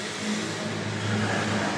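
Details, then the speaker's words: Hyundai Tucson CRDi diesel running with A/C on after replacing the auto tensioner and belt: smooth steady hum, rattle gone; normal running. "Ayan guys, okay na. So normal na yung tunog niya. Naka-aircon yan. So wala na yung garalgal pagka naka-aircon."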